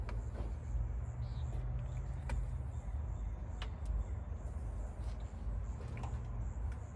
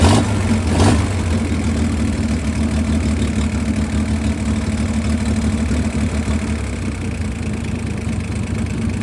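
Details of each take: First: 1962 Chevy Corvair sitting 40 years, new starter, running on carb cleaner with no fuel: slow, uneven cranking with sharp metallic clicks and no firing; odd sound in the crankcase area, owner unsure whether starter or flywheel. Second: 1962 Chevrolet Corvair air-cooled six, first run after 40 years sitting, on a redone carburetor with gravity-fed fuel and no choke: settles into a steady, even idle with a soft low thrum and no stumbles. Normal idle.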